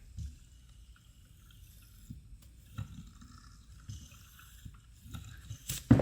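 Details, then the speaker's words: Removed passenger-side shock absorber worked by hand. The rod falls almost under its own weight, jumps, has easy spots and leaks fluid at the seal. Soft, uneven sloshing and gurgling as air churns through the oil; failed shock with aerated fluid. "Do you hear that fluid and those bubbles, the air?"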